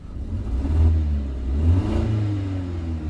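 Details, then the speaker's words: 2008 BMW 116i (E81) 1.6 petrol with rough idle and code 29D0: revving sounds rough and uneven, stumbling as revs rise, like a misfire; live data shows cylinder 4 differing. "definitely sounds like when you accelerate it definitely sounds like a misfiring"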